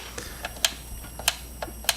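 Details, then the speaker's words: Cheap no-name Coolmax 500 W PC power supply on first boot: sharp dry clicks about every 0.6 s with fainter ticks between and no fan hum. It is failing and cycling; it died within 45 minutes and its switch melted. "once i did get stuff working it's like there's this is the worst power supply i've ever heard of"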